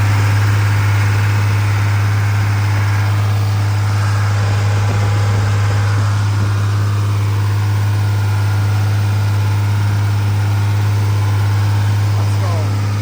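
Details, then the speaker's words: Freshly rebuilt 2nd-gen Cummins diesel during break-in, after plugging in the camshaft position sensor: steady deep idle with an even, unbroken beat and no knocks or ticks; running smoothly, a normal idle. "She's officially broken and running. It sounds so good."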